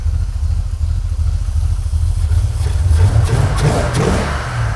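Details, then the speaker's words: 1980 Corvette V8, just fired up on choke: deep, even rumble that swells cleanly on throttle blips and settles back without misfire or stumble; sounds healthy. "All right, this thing's fired up, sounding awesome."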